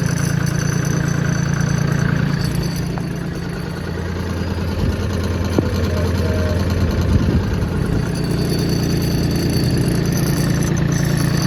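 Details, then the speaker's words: John Deere 770 compact diesel tractor with 4,257 hours, used but said to run well: steady, even diesel clatter at a settled idle with no misses, knocks or squeals, a normal healthy idle. "She runs good. It's definitely been used, as you can see."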